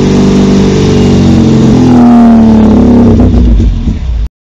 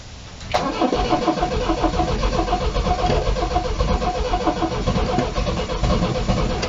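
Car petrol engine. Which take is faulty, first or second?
second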